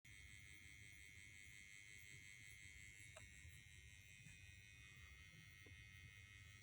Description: There is this weird (and quite loud) buzzing noise coming from the 9VAC adapter that came with my ART Tube MP V3...